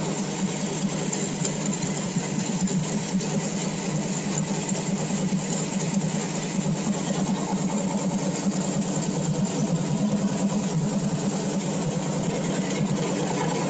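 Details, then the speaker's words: Carbureted engine on pump E85 with a CSU blow-through carb and no choke or extra cold-start fuel, cold-started on a warm day. Now warmed past 150, it holds a fast, steady, even idle with no misses as the fuel burns better with heat. "You can hear the idle now. Not the same. It's fast. The fuel is burning by temperature."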